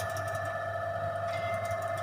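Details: PLC-controlled forward/reverse motor running after pressing start button in a trainer setup: steady even hum with low mains buzz and clean upper tones, no knocks or roughness; motor runs normally.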